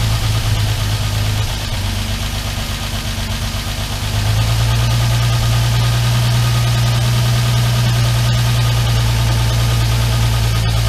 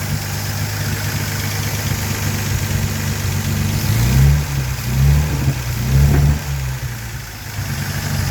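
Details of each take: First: Armstrong Siddeley Star Sapphire special, cold engine on choke at first start in probably over 40 years: speed steps up, then a steady low idle with a slightly uneven beat. Carbs out of kilter and need tuning. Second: Armstrong Siddeley Star Sapphire special, first running in probably over 40 years, old TR6 silencer fitted: smooth idle with three throttle blips rising and falling cleanly, no tapping. Not perfect but running well. Oil leak still to fix.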